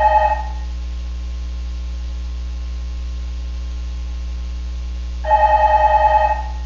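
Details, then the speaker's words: Microphone in LIGO's clean laser room picks up a telephone left on, ringing in short warbling bursts over a steady 60 Hz mains hum; the acoustic noise cross-coupled into the detector strain output. "i think you can imagine what that noise source was we have telephones here and there inside the vacuum and inside the large uh chamber there where all this stuff is all those phones are supposed to be turned off when people leave the room"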